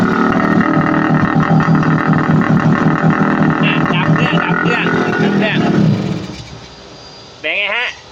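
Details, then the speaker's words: Old Kawasaki GTO two-stroke motorcycle, hard to start and unable to idle, run with choke partly on: harsh raspy crackle, very loud throughout, then the engine dies. Muffler baffles suspected gutted or a loud insert fitted. "รถลูกศิษย์ครูเนี่ยมันติดเครื่องคันเดียวเนี่ยอาคารที่ครูสอนหนังสืออยู่เค้าเรียกว่าอาคาร2ดังลั่นทั้งตึกครับ"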